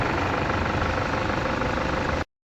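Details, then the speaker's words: Toyota Fortuner diesel after repair of code P0093 (stalling, shaking) and a road test: steady, even idle with no misses or surges, no warning light, codes cleared, no leaks around the injectors. "ถือว่าอาการกับปกติแล้วอ่ะบ่มีไฟขึ้นบ่มีอาการถือว่าดับแล้วเนาะ"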